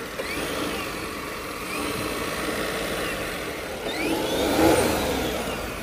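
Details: Citroen C5 Aircross 1.2 hybrid 136 HP with new engine, engine bay open: engine blips up twice with light whine rising and falling with revs over steady hum; normal revving.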